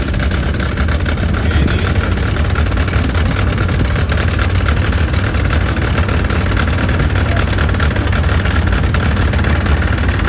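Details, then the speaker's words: Sears and Roebuck Economy tractor (1938–39) powered by a rebuilt Model A Ford four-cylinder drivetrain, running at an antique show: steady, deep, even rumble, no knocks or misses; running smooth. "And it sounds like a Ford."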